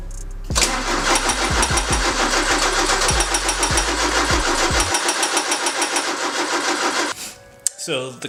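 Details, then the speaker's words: Porsche 944 with new fuel pump, strainer and filter, about three gallons in tank: starter spins steadily three-plus beats a second for six seconds, never fires. Cracked fuel rail gives only a drop; owner suspects no fuel pressure. "would not fire up it did start the fire when I gave it it doesn't feel like it's getting fuel I cracked the fuel rail and just a drop comes out so it doesn't feel like it's pressurized"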